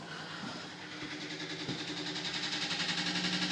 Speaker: Sounds like a plane's trying to take off. That's not normal. That is really, really loud. My washing machine is never that loud.